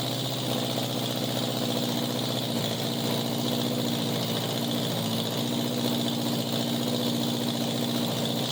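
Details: 1987 Honda Gold Wing GL1200 with electrical issues: intermittent cranking, exhaust backfire at key-off; carburetors semi good. Steady low idle with an uneven, lumpy pulse and occasional stumbles; rough idle, cause unconfirmed.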